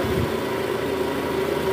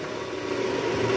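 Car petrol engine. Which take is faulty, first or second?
second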